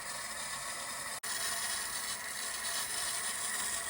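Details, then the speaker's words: Fleck 2510 water softener on a manual cycle after replacing the leaking piston, spacers and seals: a steady, even rush of water through the valve with no knocking, grinding or squeal, and no leaks. "The water's on. It's running. You can hear it running. And there's no leaks coming"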